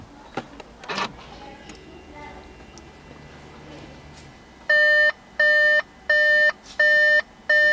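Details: 2014 Volkswagen Beetle 1.4 petrol with DSG gearbox, 49,500 km: five evenly spaced two-tone dash chimes at ignition on, warning of an active P0236 boost pressure sensor fault after power loss while driving, with the sensor refitted but the code not yet erased.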